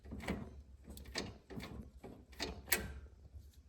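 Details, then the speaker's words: 2009 Scion xB manual transmission out of the car, fifth gear destroyed on the highway: a gear that still works is moved by hand, giving four or five dull clunks about a second apart, each a clean positive engagement. "This is another gear that does work. You hear that engagement?"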